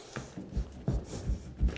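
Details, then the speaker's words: Squeaky subfloor: dull thumps as weight shifts on the floor, with short whiny squeaks as the boards flex; the wood rubs up and down on the nails as the floor deflects. "but do you hear the squeak? That squeak is actually caused by the sound of the wood, right?"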